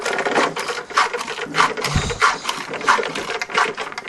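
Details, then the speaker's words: Aquarium filter pump just plugged back in after reassembly, motor running without water before pressing the priming valve: uneven rattling chatter pulsing about every two-thirds of a second, no water gurgle, pump running dry. "Voilà, donc là, je sais pas si vous l'entendez, mais je pense que oui. Il tourne sans eau."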